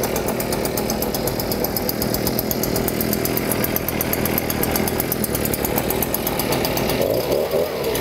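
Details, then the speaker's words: Flooded two-stroke leaf blower being cleared: throttle wide open, choke off, after about six pulls it cranks, then sputters and buzzes unevenly as excess fuel burns off (fuel came out of the muffler) before firing and running; flooded engine. "So what you want to do is keep pulling until you hear it starting to sputter. (engine turning over) (engine sputtering) There we go it's almost unflooded now."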